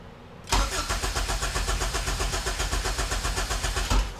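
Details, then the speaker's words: A zero-mileage HPD K24Z7 race engine swapped into an EK hatch cranks steadily at four to five pulses a second but never catches; no fuel, later traced to a jumper that had come out of the harness. "oh one more try there's no fuel all right well not on maybe that was the jumper we needed"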